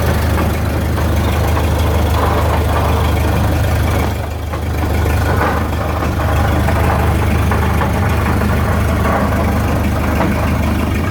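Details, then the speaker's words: 1929 Ford Model A pickup on jacks, running in gear: a heavy droning rumble with a rough churn from the rear end. The owner suspects a damaged spider gear; the noise persists even as it shuts off. "it sure sounds like it's coming from the rear into me pull up under here"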